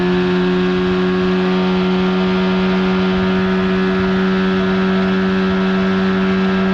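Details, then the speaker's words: 1979 Evinrude/Johnson 35hp outboard at speed on the water, with insulation added under the cover, after a failure to reach wide open throttle: strong steady buzzing drone at constant pitch, no stumbling or surging; running just fine. "oh she's running just fine"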